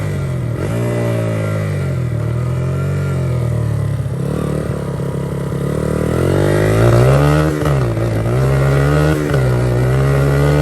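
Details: 1982 Honda XR80 fitted with an XR100 engine, restored after a leaking tank and a tank sealer that nearly ruined the engine. It starts right up and revs up and down cleanly through throttle blips with no knocks or misses. Normal running, "runs like a top".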